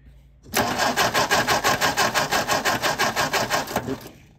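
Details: 1957 MG MGA roadster, sitting in storage for many years, first start attempt: starter spins the engine at an even five beats a second for about three seconds without firing; ignition coil wiring reversed and spark plugs fouled.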